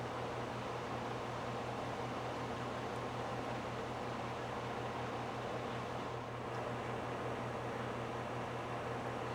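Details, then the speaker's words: Home A/C condenser with a rebuilt sound blanket installed, heard from about 5 ft (about 64.5–65 dB), much of it fan noise: steady even low hum with constant fan rush, no knocks or pitch changes; normal. "Remember, a lot of this is fan noise, too."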